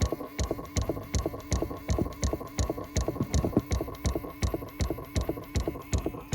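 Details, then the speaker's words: 2018 Chrysler Pacifica, engine off: steady plastic clicking about two and a half times a second as the faulty recirculation door actuator flaps the door back and forth; fixed by replacing the actuator motor. "That is not normal, and that is not supposed to happen or operate like that with the engine off."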